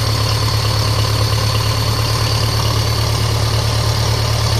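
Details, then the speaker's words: 1957 Ferguson FE35 TVO tractor first start after restoration work, tickover unadjusted: even lumpy idle with steady thin high whistle over it; source unconfirmed, typical of air sucked past carburettor flange. "a bit of a whining off something there, I think."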